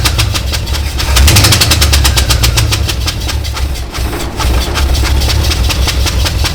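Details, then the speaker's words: Canadian GMC 9434 1-ton truck V8 at first start, one spark plug left out; lumpy uneven idle with a rattly skip each cycle, running on seven cylinders. "We left the spark plug in. Oh fuck, that'll be. She's running on 7."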